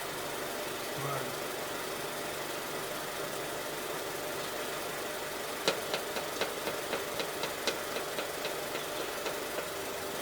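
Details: Suzuki Carry truck during idle troubleshooting after compression and spark plug checks: quiet idle with a sharp light tick about every quarter second in the top end, flames from exhaust manifold; cause unconfirmed.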